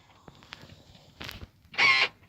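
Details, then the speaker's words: Almost 20-year-old Chrysler-built Jeep, auction vehicle: a brief buzzing whine of about a third of a second with no latch clunk when operating the locked rear door; the door lock actuator motor is destroyed and won't unlock. "So that motor over there is absolutely destroyed for the locks. It just whines. It doesn't unlock."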